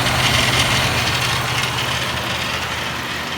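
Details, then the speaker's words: 2010 Ford Expedition King Ranch EL with 5.4 V8 at idle: a light, uneven rattle over a steady low hum. Owner blames the three-bolt idler/belt tensioner pulley, not yet replaced. "I want to explain this this rattling noise in my truck. This is a 2010 King Ranch Ford Expedition with a 5.4."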